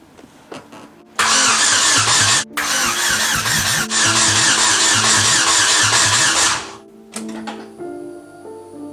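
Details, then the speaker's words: Ecotec-swapped Mazda Miata, first start attempt after new PTFE fuel lines, EVAP relocation, intake manifold, PCV and catch can, fuel pump priming heard, open headers: loud steady cranking, about two beats a second, never catching; cranks but won't fire. "Now this is the point in the story where all the hard work, long hours, and money spent was supposed to pay off with a loud vroom, a billow of smoke, and high fives all around. But instead, this took a turn into disappointment and frustration."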